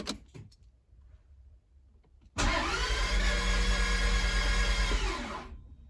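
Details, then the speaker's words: Toyota MR2 after manual conversion, cam timing now synced with crank, fuel reaching injectors, spark at every plug: starter spins evenly about three turns a second for three seconds, never catches; crank, no start, cause unknown. "Our timing is now spot on. We have fuel coming into the injectors. We have spark at every single plug. I don't know what it could be at this point."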